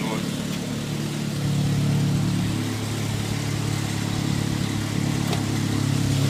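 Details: 2003 Saab 9-3 SE at about 100,000 miles, 200 miles after an oil change (owner suspects sludge): engine runs with a loud, heavy low drone and rough pulsing about three beats a second; cause unconfirmed.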